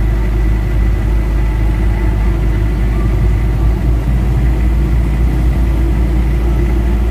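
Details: Mitsubishi Adventure diesel, warm, idling after engine treatment, aircon compressor loading it: steady deep idle holding even with no stumble or surging; healthy under load.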